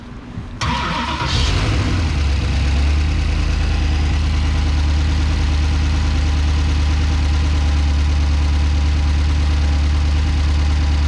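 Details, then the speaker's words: V8-swapped Corvair, first start on Holley EFI in batch fire with cam sensor off, LS3 injectors. Cranks, catches, settles into steady but lumpy idle with regular stumble; cylinder number one dead and running cold, running on seven. "number one still not working sounds pretty good for seven cylinders though"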